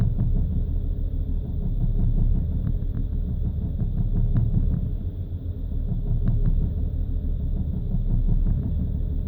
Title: BMW rough idle and stuttering when cold caused by faulty fuel injectors